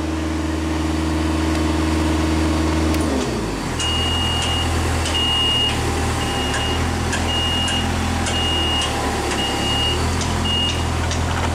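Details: Genie lift with a known-good control board swapped in after one-way drive fault: steady diesel drone with high beep pulsing about once a second while traveling; normal travel alarm, drives fine.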